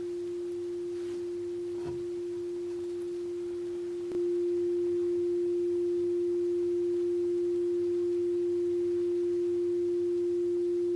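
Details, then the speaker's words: Hofler thermoacoustic tube with a steel-wool stack heated by a methylated spirits burner, the basis of a Stirling engine: pure steady hum near 350 Hz that holds its pitch and swells louder partway through; the tube resonates properly. "There we are, humming away. How easy was that?"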